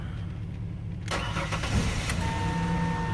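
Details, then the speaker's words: 2002 Ford Explorer after a no-crank, no-start fix (fried O2 sensor wires spliced), jump-started from a work truck with odometer readings returning: quiet, then the starter catches and the engine fires quickly into a steady, even idle; normal start. "Boom. Look at that shit. As it revs, as it's on."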